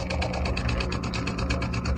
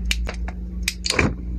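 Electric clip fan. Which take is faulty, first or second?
second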